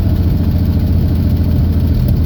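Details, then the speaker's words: 1979 Jeep CJ5 with AMC 258 inline six, just brought home: uneven, lumpy idle with a low loping beat that never settles, only runs on full choke; owner suspects poor carburetion needing carburetor cleaning. "okay well this thing goes wrong but it'll only run with a choke on"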